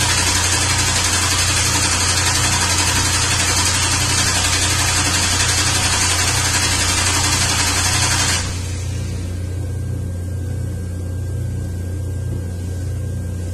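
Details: 2003 Ford Windstar 3.8 V6, plugs changed earlier; rough stumbling idle about four pulses a second, a cylinder dropping out; relative compression test shows cylinders equal, so coil swap planned; later confirmed faulty ignition coil.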